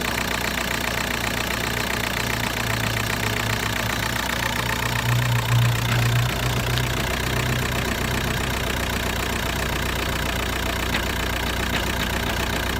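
Heavy diesel clatter at idle with an uneven pulse about two and a half per second; the engine runs rough and shakes.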